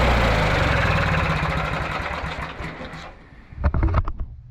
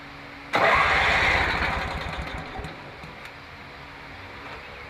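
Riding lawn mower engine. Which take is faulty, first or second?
second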